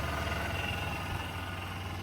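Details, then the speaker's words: GMC Sonoma pickup petrol engine started after sitting unused, idling with a steady, even low hum, no smoke, tapping, rattling or misfire; a slight wah noise, possibly an idler pulley, is noted afterward. "This thing fired right, no smoke. Sounds really good. I don't hear no tapping. That baby's smooth. It ain't rattling around. It ain't misfiring."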